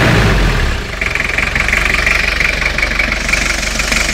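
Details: Toyota 2L-T turbo diesel idling during blow-by check: loud first half-second then even idle clatter with steady pulsing; nothing abnormal, blow-by seems fine.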